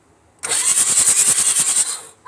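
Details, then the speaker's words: Ford 6.9 diesel hydrolocked by hurricane water through the air intake; after an oil change, glow plugs removed: fast, even short cranks with a wet spitting hiss as water is expelled from the cylinders. "Whoa! Small cranks. Go ahead. Small cranks. That's all water, guys."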